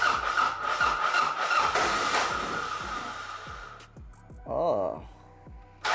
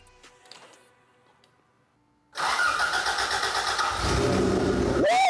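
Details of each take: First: 1986 Toyota Corolla GTS AE86, first start attempts, in neutral: steady cranking pulses, then a brief uneven catch that fades and quits; rough running and stalling. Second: 1986 Toyota Corolla AE86 GTS after weeks of failing to start, mass airflow connector disconnected: silence, then it cranks, catches after two seconds and settles into a steady, even run with a quick blip; first sustained run, normal idle.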